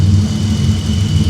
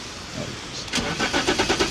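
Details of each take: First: BMW E34 donor engine, bought as a non-runner, after replacing mass airflow sensor (problematic late-'80s/early-'90s Bosch unit) and idle control valve: smooth, steady low hum, no misses or hunting; normal clean idle. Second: BMW E34 non-runner: catches after cranking and stumbles with uneven, lumpy firing; rough running, seems to over-fuel. Suspected timing problem or faulty coolant sensor, which was disconnected to test; unconfirmed.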